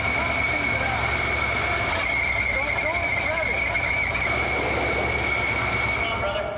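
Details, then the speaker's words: 1973 Cadillac Miller-Meteor hearse with engine-mounted hydraulic pumps; steady high-pitched screech as the belts slip on a seized, non-spinning pump, too much belt slack. "The engine's running, but the belts are slipping on the pumps."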